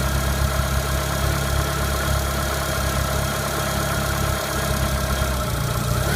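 Cold idle carries a deep, uneven drone with an odd overtone that climbs as it's revved near the end; something's off, cause unclear.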